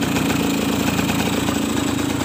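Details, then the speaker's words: Suzuki RC two-stroke after rewiring the ignition key switch circuit (coil to CDI): fires straight away and settles into a quick, even buzzing idle with no misses, then revved; running cleanly. "Oke kita Nyalakan langsung nyala ya Oke sekarang kita matikan Oke kita Nyalakan lagi kita besarkan"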